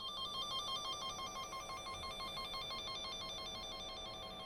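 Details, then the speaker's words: VDIAG V200 Pro wire tracer antenna run along a taped car wire with a break: a steady electronic warbling tone with a repeating beat suddenly changes in amplitude right at the broken-wire spot. "you can hear there's a sudden change in amplitude around this point here. And in fact the broken wire is at that point, so if I peel back the tape, there's the wire that's broken."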